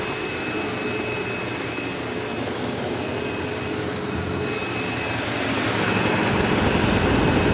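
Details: Sebo Automatic X5 upright vacuum vacuuming a living room: rough buzzy motor roar, faint fast pulsing and thin high whine swelling near the end, squeal like a slipping belt. Owner suspects worn brush roll end material causing play and vibration; the belt had tension.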